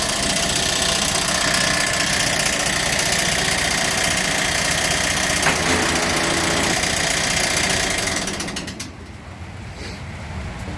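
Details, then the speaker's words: Massey Ferguson TEA20 tractor being revived after sitting as a non-runner. A loud, rapid clatter of about four beats a second rides over the harsh-running engine. It was first blamed on the water pump but is actually the fan hitting the radiator cowling; the water pump is only slightly noisy. "when I said before the water pump the noise was not all the water pump it was the actual fan H in the cing on the radiator"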